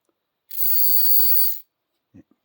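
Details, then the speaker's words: H.O. slot car rear end (440 wide pan, gravity box, narrowed rear end) tested on 9 volts: thin steady whir for about a second, then stops; owner suspects crown gear too tight or slipping, lots of heat. "seems like my crown is. Maybe I got it too tight. Maybe I oiled it, man."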